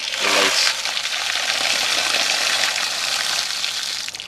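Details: Poly-pipe garden irrigation, Holman controller test of station three with the solenoid humming: steady rushing hiss of water starts cleanly and holds even once the valve opens; the station is flowing normally.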